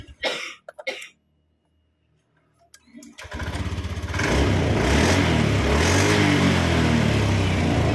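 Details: Honda Beat eSP scooter that suddenly died, after charging the battery: after a few tries it catches and settles into an even, steady idle with no misses, running normally.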